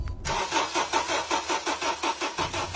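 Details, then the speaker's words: Honda CR-V that overheated and would not start once the engine cooled: starter cranks steadily at about five turns a second but the engine never catches; no spark, with the ignition coils suspected dead. "kita natin na wala namang kuryente"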